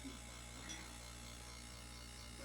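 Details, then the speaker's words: Consul CRM39 refrigerator: steady low mains-pitch hum with a rattly buzz on top, the cabinet vibrating against something behind it rather than the compressor; fixed by wedging a small water bottle behind it. "Galera, você que sofre com barulho da Consul, meu irmão. Barulhão de Consul, aquele barulho. É esse barulho mesmo."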